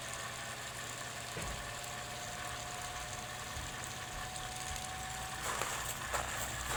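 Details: Sofia 15 kg spin dryer (centrifuge), after clothes agitation: steady mid-pitched whine over a rough motor hum, then scratchy bursts near the end; motor noise, cause unclear.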